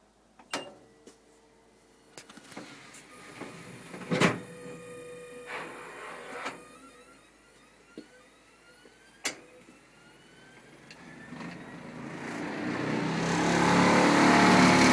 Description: My Fisher Paykel DGIX2 gas dryer started making a loud grinding noise lately, and I'm trying to diagnose whether its just a bad drum bearing or something bigger